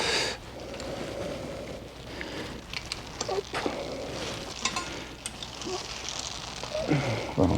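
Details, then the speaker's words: BMW 335d E92 after ABS unit replacement, suction brake bleeding finished: uneven sizzling hiss continues as the bleeder machine is still under pressure and venting; normal, bleed screw then closed. "entend encore l'équipe qui passe c'est normal c'est que la machine est encore sous pression"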